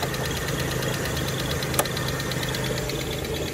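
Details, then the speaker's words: 2014 Chevrolet Silverado K1500 Z71 idling at an auction walk-around: light, quick, even tick keeping time with the idle over a steady rumble; top-end tick of unknown source, a little too loud. "it does have a little tick to it I don't like that"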